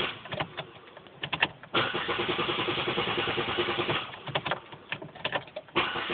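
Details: Pontiac Grand Am with 22k miles that sometimes takes 10 tries to start: sharp clicks around a stretch of cranking that never catches, even after pressing the gas pedal twice.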